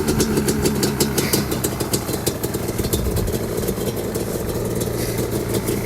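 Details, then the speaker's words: Yamaha Banshee two-stroke quad with FMF exhaust, after sitting 14 years, before teardown: crackly idle with uneven revving blips, popping and ringing; runs okay, but idling and revving don't prove it has power. "all right so i mean it sounds like it actually ran okay but i mean idling and revving is one thing but actually having power is another"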